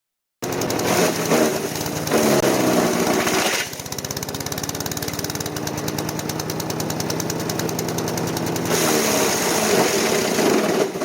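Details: Craftsman chipper-shredder, 5hp Briggs & Stratton 133412-0059-01, after rebuild, chipping branches: engine chugs hard and drops speed under load, RPMs climb back slowly; bogging under load, owner suspects the never-changed air filter.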